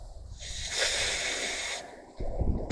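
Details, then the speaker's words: Opel Zafira A with a hard brake pedal: a sharp airy hiss while the pedal is lightly pressed and held, air leaking through the brake booster, which needs replacing. "The only thing is that you can’t give pressure very much, you need to slowly, a little bit, so I give it a little and now I’m holding it, I hear that it hisses, you can’t hear it, well, in the end, if I give it a little more , then it hisses hissing hissing"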